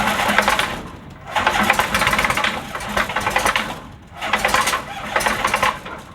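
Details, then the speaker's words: Kitfox with Rotax 912S, cold start after full-choke priming procedure, new plugs, new battery, rebuilt starter: starter churns in repeated bursts, nearly catches but never runs, likely to flood; hard starting, owner suspects the sprag clutch. "now what what happened there is it almost went if it had gone I'd been fine for the rest of the day after it warmed up now that it's gone like that typically it'll flood and I'm pretty well cooked for the next hour or so"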